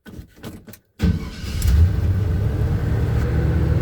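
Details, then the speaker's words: 1978 Chevy C10 with 350 V8 and Turbo 400, fitted with a 4.3 starter: quick, brisk starter spin after a couple of throttle pumps, engine catches within a moment and settles into a steady run; normal healthy cranking. "he put a 4.3 starter on this 350 and man it just whizzes the motor it sounds good it's not slow and uh it does a good job"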